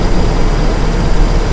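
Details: Carbureted car engine (e.g. Kijang-type) with a misfire and rough-idle complaint, throttle held at low-to-mid speed while the carburetor air screw is adjusted: a steady, even, raised-speed drone with no stumbling or misses, normal running.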